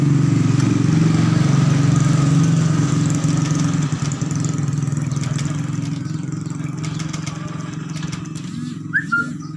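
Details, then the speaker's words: Honda Beat scooter cranking with throttle position sensor connector unplugged: steady low starter whirr with fast even pulse, nearly four beats a second, never catches; won't start, though it sometimes does, flashing a fault code. "motor tidak mau hidup Oh ya tidak mau hidup bisa juga hidup"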